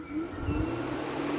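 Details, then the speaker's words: 2010 Vauxhall/Opel Astra J 1.6, single two-speed radiator fan run at speed 2 through the diagnostic actuator test after a complaint it doesn't kick in: a steady, even whirring hum with no rattles or scraping, so it works fine. "so that's speed - okay so this is basically this is basically a fan with two speeds and on the actuator they both worked absolutely fine"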